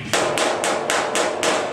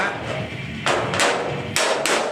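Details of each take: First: Panel beating on a VW Type 3 Notchback during restoration: six evenly spaced hammer blows, about three a second, flat and dull rather than ringing, because there is a gap between the dolly and the panel. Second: VW Type 3 Notchback restoration, hammer-and-dolly panel beating: sharp ringing blows with a hard solid note, dolly visibly flexing, as the metal now sits flat on the dolly instead of the earlier dull gap sound.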